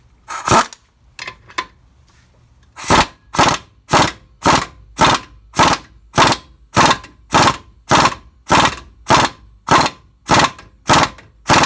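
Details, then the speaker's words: 2002 Ford Ranger 4x4 with 186,000 km, front-end rebuild: ball joint driven in with a press, even sharp rattling bursts; sound changes once it bottoms out, showing the joint is fully seated flush. "there you can hear the difference once it bottoms out you can hear the difference in the sound so you know that it's bottomed out"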